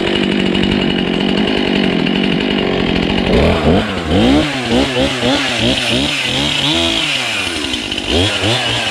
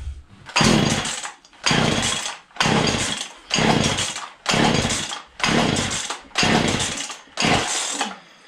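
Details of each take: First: Husqvarna 235 X-Torq two-stroke chainsaw, revived after sitting in a snow bank, primed with only a little fresh fuel: idles with a rapid, steady burble, then revs up and down cleanly through throttle blips; running normally. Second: Old Husqvarna 235 X-Torq chainsaw pulled from a snowbank, unused for a long time, primed with full then half choke: revs in rough bursts about once a second, dropping back, never steady; running poorly, owner suspects a poor fuel pickup.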